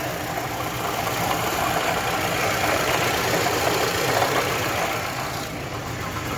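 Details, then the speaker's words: Mitsubishi Lancer 10 at idle: a light, crunchy ticking rattle of about four beats a second rides over the engine hum. It sounds like the timing chain, but visual inspection showed a worn water pump. "Похожий звук на цепь, но это по визуальному оказалась помпа. Думал, цепь гремит, а это помпа."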